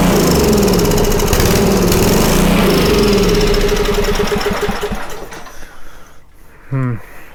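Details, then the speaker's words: Homelite 2500 W generator: the engine catches on starting fluid and runs evenly for about five seconds, then fades and dies once the fluid burns off; the fuel pump is not feeding. "This pump is just bad. Let's see here. This is supposed to be pliable. It's hard as a rock. That's not going to be moving anything."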